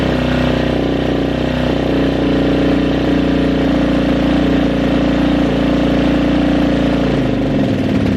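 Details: Kawasaki KXF400 quad, after a carburetor fix, runs with a loud, even single-cylinder idle and a steady throbbing beat that drops away near the end; the engine runs cleanly.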